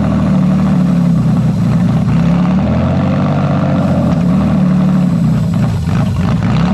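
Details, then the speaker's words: Toyota/Lexus JZ engine idling while the MAF sensor housing is moved a couple of millimetres down the intake pipe; the idle hum sags and the note shifts as rpm drops from unmetered air. "okay so as you can see i've literally got to move it a couple of millimeters down the pipe like that you can see that the rpm is dropping and the whole engine node is changing"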